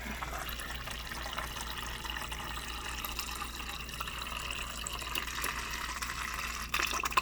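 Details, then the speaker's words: Refrigerator water dispenser just after a filter change: flow hisses unevenly with spits and gurgles, not stopping right away; trapped air pushing through the water line. "notice how it doesn't start stop flowing right away but you can hear all that air something you got to keep an eye on"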